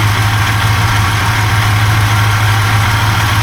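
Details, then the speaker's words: 1971 Buick GS 350 V8 running for the first time in years as a bought non-runner; starts right up but idles with a deep, slightly uneven throb; owner hears a likely exhaust leak and suspects the water pump. "it just it doesn't have enough line to go any further than where it's at me a starts pretty much right up it's just the engine itself doesn't quite sound like it's uh too"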